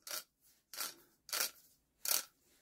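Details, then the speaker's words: Barford Atom freewheeling axle hub: five crisp bursts of rapid, even clicking with clean gaps, the good hub sounding exactly as it should. "that's what they should sound like absolutely perfect"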